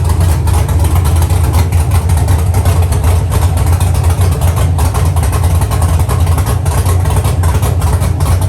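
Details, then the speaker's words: Dropped Chevy truck, cammed 5.3 V8 with Texas Speed 232/234 110 LSA cam, after build: deep choppy lope, uneven pulses about two or three a second but steady; sounds good and healthy. "from here it's adding on to the motor it sounds good it sounds healthy"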